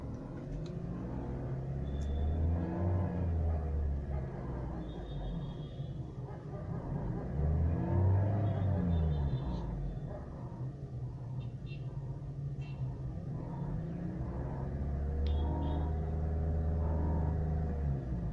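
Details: BMW 316i (E90) 1.6L N45B16 petrol engine idling with a deep grinding rumble from the engine bay, swelling and fading in slow waves; noise disappears when AC is switched on and returns when AC is off; cause unknown.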